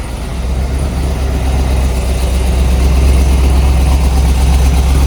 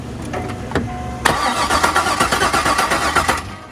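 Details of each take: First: 50th-anniversary C5 Corvette Z06 V8, about 50,000 miles, sat for years, first run after replacing the injectors with Siemens Deka 80s: deep, steady rumble settling into an even idle, no misses, stumbles or knocks; running normally. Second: C5 Corvette Z06 50th anniversary, about 50,000 miles, stored about 3 years with old fuel: starter spins the engine in quick even pulses without catching; fuel pressure present but no injector pulse, injectors suspected clogged.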